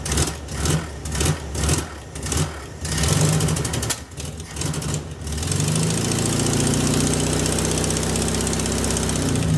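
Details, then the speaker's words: VW Beetle with newly installed Pertronix distributor and coil, timing being adjusted: engine catches in uneven bursts then settles into a lumpy, unsteady idle; rough idle, cause not confirmed. "See if it's getting worse. What do you think, guys? I got one firing."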